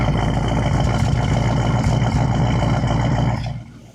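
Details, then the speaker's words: 1961 Buick LeSabre convertible, Nailhead V8, first start after sitting, running from its gas tank with a visible fuel leak: an even, steady low rumble with no knocks or misses, a healthy idle that sounds pretty good. "So, that's not bad. She sounds pretty good."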